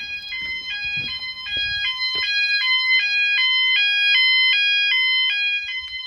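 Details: E.M.S. FirePoint System 5004 house fire alarm, Sound Alarms pressed on panel, all sounders everywhere running: loud stepped tone alternating high and low about twice a second, steady and clear; normal evacuation tone.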